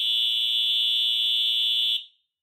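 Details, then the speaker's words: EH-24S fire alarm horn, restored, bench-tested on a 24 V supply: loud, steady high-pitched blare, slightly raspy and stuttery, for about two seconds then cuts off cleanly; normal horn operation. "and there you go you can see it does fully work so it does still sound a little bit raspy and stuttery but then again it's an eh horn and they're gonna sound like that"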